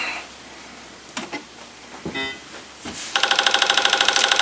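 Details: Apple IIgs 5.25" disk drive (Apple 5.25/UniDisk) after swapping in another drive's logic board: after a quiet pause, a quick, even train of head-stepping ticks; drive seeking normally.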